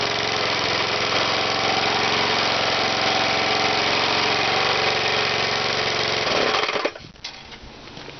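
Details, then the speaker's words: Small engine with a cork piston crown, run without oil, cylinder scored, 1/16-inch hole in the piston: fast rattling knock about four per second over a buzzy engine; cork debris striking the cylinder head, chunks blown out the exhaust. "yeah it's uh some of the cork or something's hitting the uh cylinder head I can hear it making a nasty noise there"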